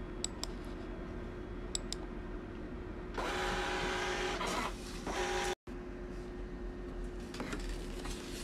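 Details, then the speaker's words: Birch thermal receipt printer printing Windows test page; smooth two-second whirr with steady motor tone; feeds and prints normally, though paper-out error no longer detected. "okay so as you can see it's printing well now windows printer test page"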